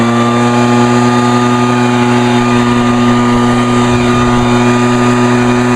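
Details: Vintage Echo PB-400E backpack blower throttled up by the left-side lever: a loud, steady high buzz at full throttle with constant pitch and no misses or rattles. Normal full-throttle running.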